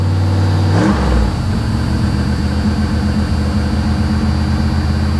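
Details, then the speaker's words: 1982 Chevy Camaro Crossfire V8, just started: catches and settles into a fast, steady idle of about 1800-2100 rpm, well above normal, later dropping only to about 1800 rpm; idle too high. "she runs like not an issue man she fires right up idling a little high but hopefully it'll drop down here in a second she's running about 1800 rpm now 2 000."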